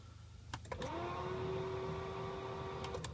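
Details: 2006 BMW 325xi E90 at −18.5°C in a cold start attempt: a couple of clicks, then a steady fan-like whir for about two seconds, with no engine catch. Cold no-start, cause unknown.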